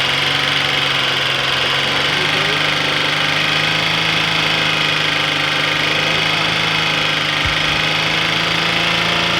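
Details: 2006 Cadillac CTS 3.6L V6 with rapid even ticking that speeds up but doesn't get louder with acceleration; loudest after an hour's running, fainter at cold start; began after timing chain replacement; cause unknown.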